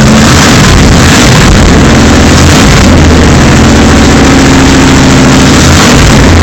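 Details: Rebuilt 454 Chevy V8 in an Argosy motorhome at its second start, with no exhaust system fitted: very loud, raw, blaring rumble that rises and falls with revs.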